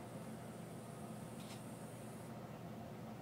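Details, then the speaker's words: Central Environmental Systems electric air handler, 3-ton, with Rheem heat pump wired cooling-only, started at the breaker: soft steady blower hum with a brief screechy whistle at startup that drops away; runs quietly and normally. "start up here at the breaker pretty quiet got a little screechy sound when it starts up to it"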